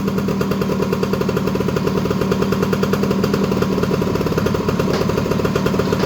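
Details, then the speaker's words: Honda EZ90 Cub single after revival, idling slightly high while WD-40 burns off the exhaust pipe: crisp, even exhaust pops at a steady fast idle, no misses or knocks; running strong and healthy. "Yeah, those wheels are pretty nasty. Well, seems to be running really good."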